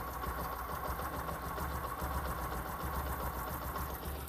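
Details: Bajaj-style Discover 125 single-cylinder motorcycle after tappet (valve) clearance adjustment, done to fix engine noise and cold-start trouble: even, steady idle with a light, regular top-end tick and no irregular knock; normal idle.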